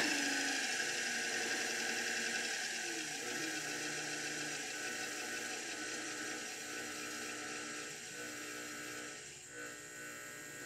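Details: Dumpster-found electric motor with a speed controller and rusty shaft, on its first test turned all the way up to 1720 RPM, gives a smooth, steady high-pitched whir with no knocks or rubbing; it runs normally at full speed.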